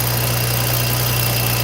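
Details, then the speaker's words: BMW at cold startup idle: low hum with a loose metallic chatter like a chain flopping, a turbo wastegate rattle from aging turbos whose worn wastegate rods rattle on startup. "So that rattle you hear is a turbo wastegate rattle."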